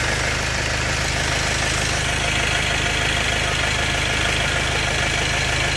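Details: 2010 Vauxhall diesel van with white smoke: uneven idle clatter about three beats a second with hissy top; injectors or fuel filter suspected, not confirmed.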